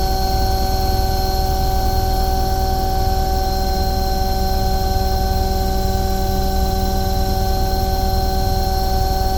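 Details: Omni/EconoHeat/Morrheat waste oil heater burner after cleaning the burner and nozzle: even steady roar with constant fan hum, no surging or sputtering; firing cleanly at about 12.5, smoke clearing, normal burner operation.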